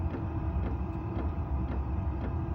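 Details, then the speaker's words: Diesel heater on low setting after tuning pump frequency for two red bars and fitting a fuel filter and new fuel line: steady low combustion roar with a soft regular fuel pump tick about twice a second; burning evenly, normal. "It makes a lot of heat, so it's staying in the low. I'm maintaining the 2 reds, which is where I want to be."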